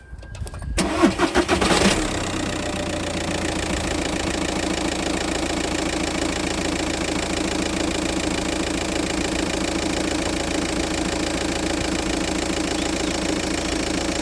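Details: 2009 SEAT Leon with an engine-bay noise and oil leaks, started with the AC compressor belt removed: cranks, catches, then settles into a steady, even idle with no noise; the noise was traced to the AC compressor, where a screw appeared loose.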